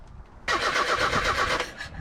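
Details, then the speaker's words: Truck last registered in 2005, cranking: about a second of quick, rhythmic starter churning that never catches, a no-start. No spark each time the distributor cover goes back on; owner suspects the ground wire to the distributor touches the cover, giving a constant ground. "nope she sure don't this is a new one for me guys every time I put this cover back on I'm losing my spark"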